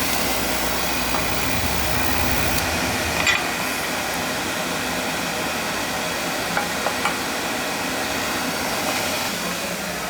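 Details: Newly installed oil burner on a replacement boiler firing up after adjustment: brief low-end change at ignition, then a steady, even rushing roar; burner lights cleanly and holds a healthy flame.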